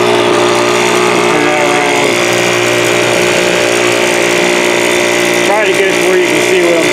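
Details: 2017 Troy-Bilt TB430 two-stroke leaf blower after new spark plug: steady high buzz, then throttle blip climbs slowly and smears upward; hesitant, carburettor or unchecked fuel filter suspected, not confirmed.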